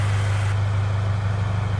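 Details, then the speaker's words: Subaru BRZ idling just after an Invidia over pipe and catless front pipe install: steady idle with a quick, even puffing pulse from an exhaust leak where the front pipe meets the over pipe, possibly not tightened enough. "see that leak um i'm leaking exactly where the front pipe meets the overpipe so i have to check that out"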